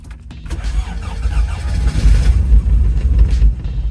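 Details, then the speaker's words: 1987 Toyota MR2 AW11, 4AGE engine, started after years of neglect using starting fluid: lumpy, uneven low thumping like a tractor; misfire with cylinders three and four not firing for lack of spark, needing distributor cap, rotor and plugs. "I celebrated too early. It ran, but it sounded like a tractor. Something's definitely wrong. We're missing spark. Three and four aren't firing."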